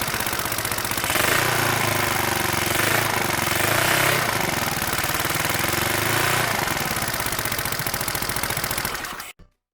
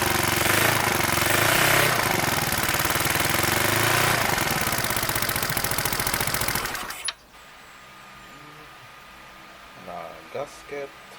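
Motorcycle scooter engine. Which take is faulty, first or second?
second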